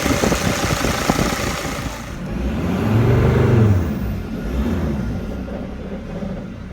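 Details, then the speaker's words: Mercedes Sprinter diesel with P299 turbo underboost code, turbo actuator under test with its lever down: idle sags and hums lower mid-clip, nearly stalling before recovering; raising the lever slightly stops it quitting. "so with the lever down it wants to actually a completely quit working if I do raise the lever up a little bit it does not quit"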